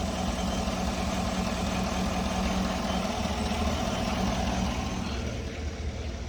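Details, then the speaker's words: 2018 Chevrolet Suburban LS V8 after overheating, one-bank misfire, intake melted at cylinders 8 and 6 where it meets the head: steady, slightly uneven rough idle misfire; unsure whether the intake leak causes it. "The back, the two what is it, cylinder number 8 and number 6, where the intake meets the cylinder head, was definitely a problem there. But I'm not sure if that's what's causing right now this misfire."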